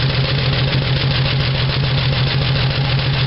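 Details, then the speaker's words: 1975 Dodge D100 slant six with open exhaust, started after distributor moved one tooth: lumpy, uneven idle pulsing about three beats a second with a puffing note. Running poorly; owner suspects an exhaust leak or burned valve, cause unconfirmed. "all right she's running now not running real good but uh [Music]"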